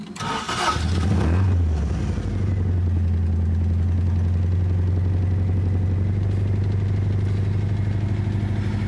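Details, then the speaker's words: 1975 Toyota Corolla KE35 with a failing starter, which may be flooding: it cranks, catches and settles into a steady but fast idle that stays too high instead of dropping to about 1,000 rpm; the cause is unconfirmed. "So, this isn't running how it should. This is running too too high. How bizarre."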